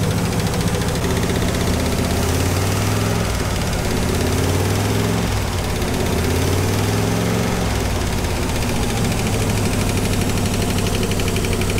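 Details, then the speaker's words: 1956 Buick Special, 322 Nailhead V8, automatic, sat about 25 years, points cleaned, fed from a temporary fuel tank: loud, steady idle with an even low rumble, no knocks or misses; runs well. "sounds pretty good don't you think"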